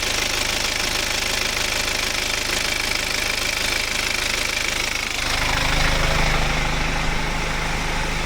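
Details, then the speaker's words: BMW with N47 diesel engine, hot after ZF 8HP45 automatic transmission flush; steady idle with a metallic singing chatter riding on top, even with engine speed. Mechanic says when it sings like this it's the timing chain. "Le moteur est brouillant. C'est N47 dedans et il chante un peu hein. Et quand ça chante comme ça pour moi c'est la chaîne."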